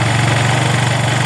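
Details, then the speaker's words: Engine during carburettor tuning, screw being turned about three turns to find the right point: low drone with slight rise and fall, idle still hunting and not yet set. "Smooth එකේ රන් වෙන්න ගන්නවා. හරි. ඔන්න තාම set වෙන්නේ නැහැ."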